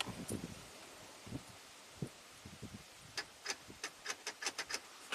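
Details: 2014 Ford F350 PowerStroke diesel with a short to ground blowing the BCM lock fuse, driver's door lock actuator powered directly through a test light at pin 21: quiet rapid clicking, about four a second, as it tries to unlock; the actuator works, not shorted.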